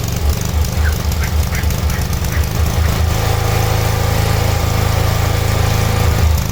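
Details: Cub Cadet 1106 riding lawn tractor (1986 or 1987), sat over four years, on a function test after revival: small single thumps along at an even four beats a second, then smooths into a steady drone; runs normally.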